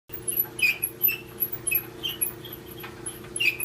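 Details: GE dryer running: sharp, high squeaks about twice a second over a steady motor hum, from worn front drum glides.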